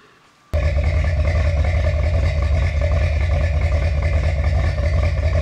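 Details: Finished 1977 Corvette C3 with number-matching steel-crank 4-bolt-main 350 V8 after a two-year restoration: fires up after a half-second and settles into a deep, even, lumpy idle rumble; steady and healthy.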